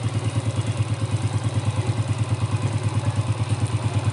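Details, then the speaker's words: Rebuilt motorcycle engine, possibly a Yamaha Jupiter Z, refitted to the frame with valves adjusted, carburetor cleaned and modified head; steady even idle with a smooth regular low pulse about three beats a second, no knocks or rattles; normal idle. "Nih kalian bisa dengarkan sendiri suara mesinnya, enak kan?"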